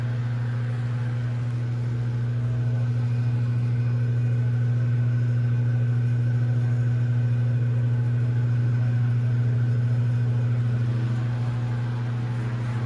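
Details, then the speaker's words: Antique Manning Bowman table fan after oiling and moving the blade hub off the front sleeve it rubbed; smooth even low motor hum with steady blade whoosh, no ticking or rubbing, running cleanly. "adjusted that sounds so much better"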